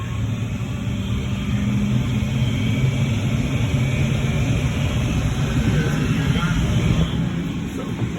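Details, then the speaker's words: Marvair wall-mount AC unit that had a communication alarm from a faulty Coollinks control board, now replaced. The blower motor spins up after power is restored with a steady low whoosh and hum and no scraping; it runs normally as the alarm clears. "we're gonna go check the controller here comes my blower motor"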